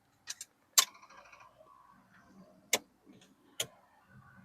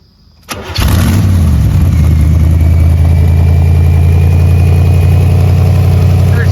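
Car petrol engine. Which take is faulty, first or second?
first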